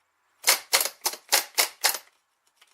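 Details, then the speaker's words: 2002 Chevy Malibu start/no-start, old starter removed and bench tested: six sharp dry clicks about three to four a second as the pinion snaps out but the motor never spins; faulty starter motor. "it should spend it should be spinning not just going click click click click"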